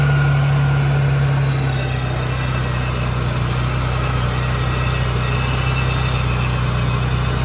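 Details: Procharged Nissan 350Z after fitting a new belt tightened to fix belt slip: the engine catches and settles into a steady, even idle with a faint supercharger whine and no belt squeal; sounds healthy.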